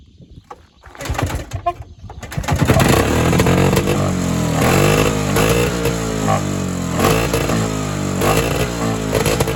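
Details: Evinrude Bobcat 25hp two-stroke snowmobile, sat 20+ years, not started in a while, primed with fuel; after a few recoil pulls it runs ragged and uneven, revs wandering; owner suspects an air leak or hardened carburetor diaphragm.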